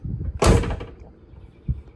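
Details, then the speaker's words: 1969 Oldsmobile 442 convertible door being slammed during a door panel replacement: solid slam with a short buzzy after-rattle and a faint knock; owner suspects the door glass moving around inside the door. "that's got to be the glass moving around I'm sure whatever it is I will find it and I will fix it"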